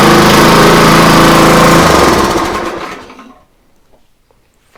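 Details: Free used pressure washer that only runs on choke, running on full choke: small engine runs strong and even with a steady beat, then winds down; sounds healthy.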